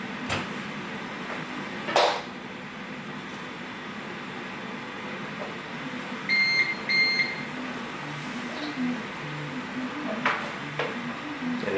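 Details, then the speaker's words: UPS powering a 3D printer, unplugged from the wall: two short high beeps around six to seven seconds over a quiet room, warning it is running on battery. "and you will hear audible beeps it means it is running off of the ups this is a warning to let you know that hey it's not getting power from the wall"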